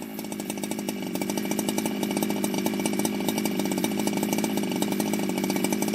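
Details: Ported Jonsered 2071 chainsaw after rework; it had run poorly, like an air leak with a hot case, but no air leaks were found. Crisp, quick, even two-stroke firing at a high, steady pitch without stumbling: normal running.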